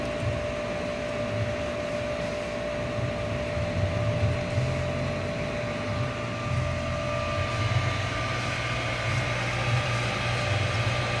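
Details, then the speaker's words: New 1.5 HP sprinkler pump developing a thin, constant high squeak over the steady motor hum after about 5 minutes running; owner unsure, thinks it sounds somewhat like a bearing; cause unconfirmed. "No idea what that sound is. It sounds kind of like a bearing, kind of."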